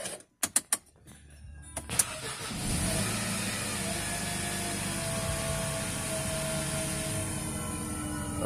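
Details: Mercedes M271 first start after timing chain replacement: a few clicks, short crank, clean catch and smooth even idle with no chain rattle; healthy start.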